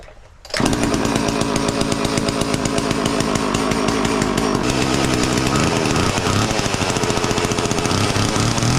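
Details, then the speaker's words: Homelite 240 chainsaw started with starting fluid: it catches within a second and settles into a loud, steady, fast even two-stroke idle. It runs fine, though the carb may need tweaking. "okay maybe it's working just fine all right well uh sounds like the carb needs to be tweaked a little bit but uh I'm going to say we solved the problem for now"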